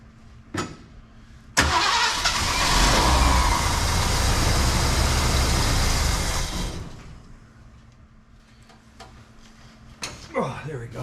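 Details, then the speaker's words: 1974 Ford Bronco, fuel tank out for rust repair and both sending units replaced, lines empty: starter spins the engine at a steady four beats a second for several seconds without catching; no fuel reaching the carb. "Yeah, we got nothing at the carburetor yet. What we're going to do, we're take our distributor wire off and we're just going to crank this some and see if we can pull fuel up to the carb here. Nothing yet."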